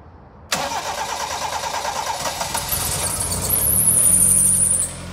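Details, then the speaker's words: Toyota Starlet EP70 after turbo upgrade, awaiting tune: engine catches on first crank, settles to steady, even, super smooth idle with no misses or hunting; normal start and idle. "there we go idle's super smooth but the coolest bit of the car is when you rev it doses well"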